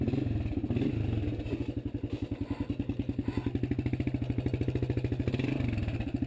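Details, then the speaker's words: 1993 Suzuki Quad Runner 230 after replacing a loose, wrong-bolted front motor mount and fixing the bracket and sprocket guard: even, steady single-cylinder thump while riding, with no rattle or vibration; normal running. "That was definitely the fix because it's not vibrating anymore."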